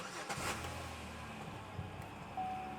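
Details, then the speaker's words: Vehicle after installing a new computer: short crank catches and settles into a quiet, even idle with no misses; starts and keeps running fine, check engine light still to be checked. "start install that's normal sometimes the first time the next time it should start and run"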